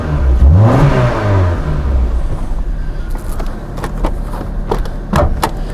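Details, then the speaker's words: 1994 Toyota Celica, single ignition coil replaced two years earlier: engine starts into lumpy stumbling idle with irregular pops, a severe misfire from intermittent weak spark on one cylinder (cylinder two). "hopefully the camera picked up the misfiring. It's pretty severe."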